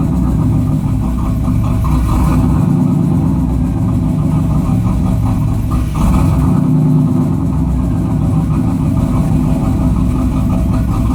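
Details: 1992 Chevrolet Camaro petrol engine with a rough idle: low, uneven rumble that surges and sags instead of holding steady.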